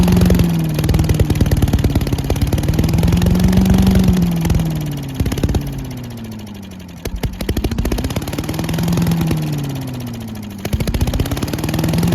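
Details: Old Giant Vac leaf blower with a 1982 8 hp Briggs engine, long stored outside, on a cold day. After water was cleared, it runs on its own with speed drifting gently but holding: normal running.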